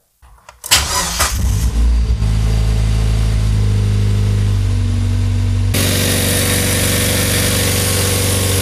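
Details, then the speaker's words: Mazda MX-5 Miata drift car, engine just reinstalled after restoration, first start after retightening belts and power steering belt: short crank, smooth even idle, clean revs, no knocks or squeals; engine sounds healthy. "je pense qu'on est d'accord pour dire que le moteur a l'air de toi on est bien rond il y a pas de bruit normal"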